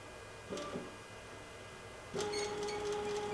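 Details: Genmitsu CNC on a wireless offline controller, jogging left: a steady, even mid-pitched stepper hum holds while the axis travels, in contrast to the diagonal jog that fails to move; normal stepper jogging.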